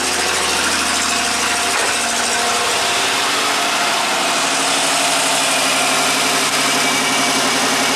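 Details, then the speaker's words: 1990 Buick Regal GS V6 with severe low power and low manifold vacuum, running after injector test: rough, uneven idle with stumbling beat; number five cylinder dead, not contributing, from a failed injector. "it's better I bet now it's just number five it's not contributing"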